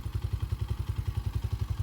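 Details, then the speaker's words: 2021 Tao TBR7 250cc dual sport single after top end rebuild, EGR removed and capped: even thumping about nine beats a second at idle, steady with no knocks or rattles; sounds pretty good. "It's another little modification I did, but other than that, sounds pretty good."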